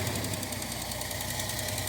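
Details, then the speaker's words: Datsun 280ZX petrol engine with a bad misfire that began suddenly, heard in the exhaust on a light rev: uneven, stumbling beat, random across cylinders rather than one dead cylinder; owner suspects coil or ignition control module, doubts plug wires. "It's a random misfire on the cylinder. It's not like one cylinder is completely dead or something like that. You can even hear it in the exhaust."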